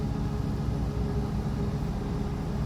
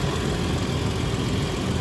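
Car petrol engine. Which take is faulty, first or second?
first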